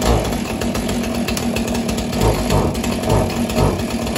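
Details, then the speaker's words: Husqvarna 445 chainsaw unused for over 10 years, after fixing the choke: steady burbling warm-up idle with even firing, no stumbles, letting fuel work through the stiff carburetor diaphragms; normal warm-up idle. "I'm gonna let it run for a bit you can hear it hopefully you can hear me right now but I'm gonna let the diaphragms really get the gas running through them again"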